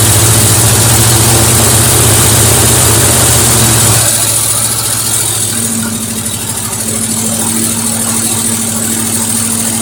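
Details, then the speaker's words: 1973 Mercury Cougar XR7 idling on its first start since 1985, fuel poured into the bowl of the untouched original carburetor: steady, even idle with a regular low beat, no misses or knocks; running fairly decent, carburetor rebuild still planned. "It's amazing, this carburetor hasn't been touched, and it sounds like it's running fairly decent."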